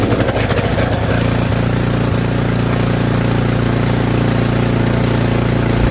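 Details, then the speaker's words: Snowblower engine after fresh fuel was added (about a third of a jerry can, suspected out of gas), during auger belt replacement: ragged first second, then steady even beat and smooth idle with no misses, sounding much better. "I put in like a third of that jerry can. Oh, it sounds like a lot better."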